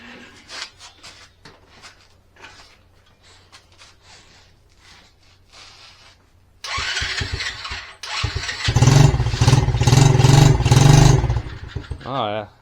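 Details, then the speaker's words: SSR pit bike after welding the broken muffler and exhaust bracket back on: the single fires and settles into an even, muted exhaust note, way quieter, no rattle or blowing; normal running with quiet exhaust. "way quieter that's quieter"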